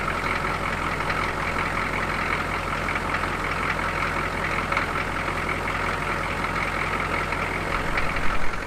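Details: Squarebody Suburban diesel after sitting a couple of months, started following starter replacement: steady idle with soft regular clatter, no surging or hunting, no runaway; running normally.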